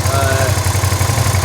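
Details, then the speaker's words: Motorcycle twin with a misfire caused by water from washing. After spraying WD-40 EZ Reach onto the wires and into the spark plug hole: steady, even low thumping at idle, both cylinders pulling, no skipped beats; misfire gone so far. "So let's see if spraying the WD-40 up into the spark plug hole has stopped our misfire. So far, no misfire."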